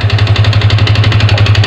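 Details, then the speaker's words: Yamaha Vixion engine at idle: fast, even diesel-like hollow knocking every firing stroke; teardown showed scored worn cylinder liner needing replacement; piston slap. "Mantap suaranya ini kenapa saya nyebut mesin diesel nemplok di rangka Vixion [Tertawa] akhir-akhir Ini kemungkinan besar pistonnya jadi seputaran piston nanti kita bongkar dulu kita cek"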